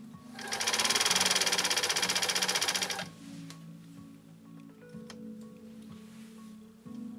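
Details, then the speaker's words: Repaired 1980s New Home SL2022 all-mechanical sewing machine with a 1.0 amp motor, stitching a single layer of alkyd with the foot controller barely pressed: a fast, even rattle for about three seconds with no hesitation or drag. Normal straight stitching. "i don't know what you heard on your end depending on how you're viewing this premiere but no hesitation at all on the part of this new home sewing machine again from the 1980s one amp motor and it just buzzed through a single layer of alkyd just so like it was a light cotton"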